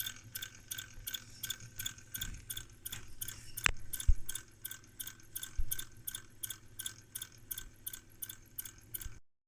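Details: Brüel & Kjær WA 0155 balancing demo unit running after reassembly with a slightly bent shaft, possibly from being dropped: fast, steady ticking two or three a second over a faint hum. The spinning shaft seems to catch or rub, cause suspected not confirmed.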